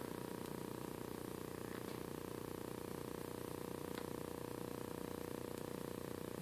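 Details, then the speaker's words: Vizio TV humming: steady fine buzz from the backlight at partial brightness, heard around 64; it disappears near 21–27 and above 99. "humming when you get down around 27 21 I don't hear it at all now I'm going to turn it up so you can hear that's what she's been hearing"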